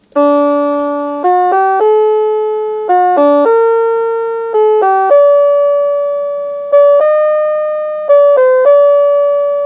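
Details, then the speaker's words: NuTone LBC55 electronic musical door chime after repair (age-related board components rebuilt, voltage regulators): clean, steady notes play the Anniversary Waltz, its longest song, with even pitch and no dropouts, unlike the croaking before repair; working properly. "and of course that sounds much more familiar now than what it sounded like as it croaked it out the first time and then finally we'll do the anniversary waltz which is the longest song that it plays"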